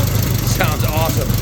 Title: FIRST START IN 50 PLUS YEARS; 1931 EXCELSIOR HENDERSON KJ